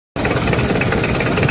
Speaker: friend bisa terdengar ya di sini ya untuk funbell bunyinya senyap sekali dan ini sungguh sangat mantap tentunya friend Ya bisa terdengar ya tidak ada suara berisik pada bagian funbell